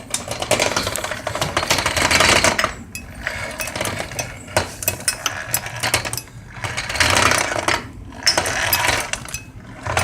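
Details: Motorcycle hard to start, rocked with engine off: bursts of loose metallic clinking each time it moves; something loose inside, cause not yet known.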